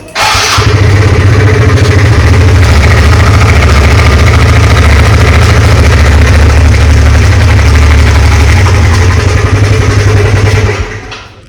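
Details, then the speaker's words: TVS Ntorq scooter starting and idling loud with a rapid khat-khat knocking clatter from the engine over the low engine beat until shut off; taken to a mechanic, cause not stated. "बहुत ही बेकार सा खटखट खटखट ऐसे आवाज़ आ रही है।"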